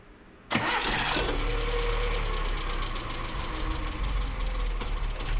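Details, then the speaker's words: 1977 Datsun B210 carbureted engine just after fitting a new, primed fuel pump: cranks and catches quickly, then a slow, slightly rough low idle; no leaks, idle needs raising, carb and choke still not tuned right. "starts well I think the idle needs to come up but but the fuel pump's working there we go new fuel pump uh running good no leaks it's a little rough"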